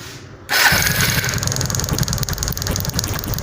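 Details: TVS Apache motorcycle started after checking the CDI, pickup coil and HT coil for no spark at the plug (no current problem actually present); starter catches after a half-second and the single settles into a quick, even idle with no misses or knocks; normal start.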